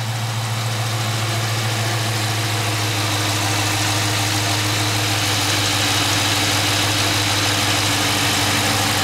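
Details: Dodge Charger Scat Pack 392 V8 idling: deep, steady even rumble with only a faint light tick underneath, no crazy ticks; this is what a normal healthy 392 (like 6.2/6.4) should sound like.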